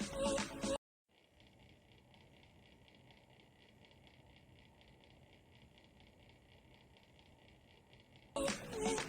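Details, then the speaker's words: RTX 3090 graphics card's middle cooling fan: a steady whirr with a rasping buzz pulsing two to three times a second. A noisy fan; deep cleaning it made it worse. "but then my middle font started to create crazy annoying sound just listen for yourself"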